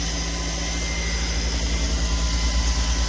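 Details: Car, possibly damaged in a side impact (t-boned), started with a portable battery jump-start tool: low, steady idle with an even pulse around three per second, no misses or knocks; engine idling normally.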